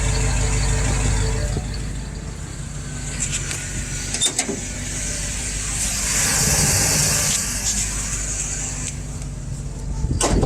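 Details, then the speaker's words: FiTech EFI inline fuel pump with low-flow pump speed set back to 75: thin steady high whine over warm idling exhaust, pump stressed and heating, grows louder the longer it runs; lowering the setting fixes it. "so now you can tell with this set back on 75 the pump is under some extra stress now and so probably building heat as well"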